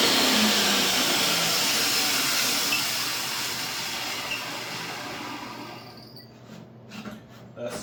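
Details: Restored used DeWalt DW744 table saw on its first run after cleaning and adjustment: steady, high whirring that runs evenly, then winds down smoothly with no rattle or grinding, so the motor sounds healthy.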